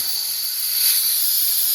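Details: Air hose quick-connect coupler with its internal valve seals worn out; a steady, sharp hiss of escaping air, fixed by replacing the fitting.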